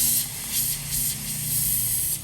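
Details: Air hose fitting found loose with little Teflon tape on the threads: constant sharp hiss rising and falling slightly with a faint low hum behind; compressed air leaking at the fitting, fixed by removing it and re-wrapping with Teflon tape.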